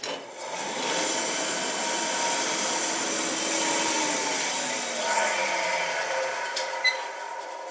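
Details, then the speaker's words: Old belt/disc sander after cleanup, belts and discs not yet fitted: motor spins up to a steady whir with light squeak and rattle, mostly from parts not yet tightened down. "little noisy a little squeaky does have some rattling a lot of that is just where I haven't tightened a lot of things down yet"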